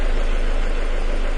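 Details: 2000 Ford Escort in a lean-condition, stalling-at-lights diagnosis: a short stretch of deep, smooth, even idle with no stumble or hunting; O2 sensors reporting accurately.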